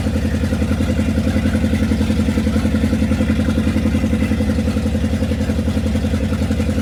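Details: 1969 Dodge W300 Power Wagon, 440 big block: even, steady lope through open headers, no tapping, knocking or chirping; healthy, though a new carburetor is planned.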